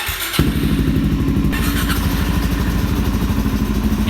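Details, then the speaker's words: Salvage 2019 DRZ 400 supermoto warming up the morning after being readied: fires straight up into an even single-cylinder thump with no knocks or stumbles. Runs well and sounds good through its exhaust. "Dang man, this thing runs so good, and it sounds super good with this exhaust right here."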